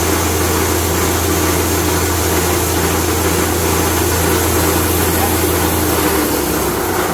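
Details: Grain mill grinding whole grain into fine cattle feed, with a bag held over the blower outlet: smooth, even roar with a steady hum and no knocks or surging while grain feeds through, then it stops cleanly; the mill runs healthy.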